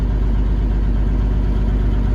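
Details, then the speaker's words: 1979 Kenworth W900A diesel, cold, idled up with the engine brake applied lightly to load it and warm it faster; deep, heavy, even rumble with steady firing and no knocks, healthy under load. "to load up the engine when it's cold. You can hear she just loaded up there, and that helps get some temperature quicker."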